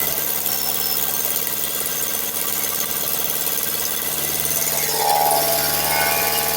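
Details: Nissan Altima with a cracked exhaust manifold leaking: quick, fairly even ticking, about three to four per second, over a thin idle.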